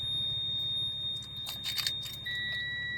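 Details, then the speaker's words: 1994 Subaru Impreza WRX turbo, stood 16 years, ignition on with engine not running on a jump from another vehicle: a high steady dash warning beep, then a lower second tone over key jingle; suspected oil pressure warning. "A beep. Okay. Don't wor I just lots of beeping. The radio's going check engine almost there, bro. That guy's beeping. It's the oil pressure one, so I'm guessing there's no oil pressure."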